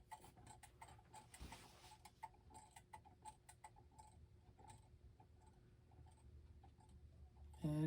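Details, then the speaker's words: Gothic mantel clock with Urgos movement, c. 1960s, on the workbench: uneven, lopsided tick-tock with unequal gaps that soon falters and stops. Pendulum clock out of beat. "And one thing I think I noticed is that it sounds like it's not in beat. I don't know if you can hear it, but it's sort of going tick- tock, tick- tock, tick- tock instead of a steady tick tock, tick- tock."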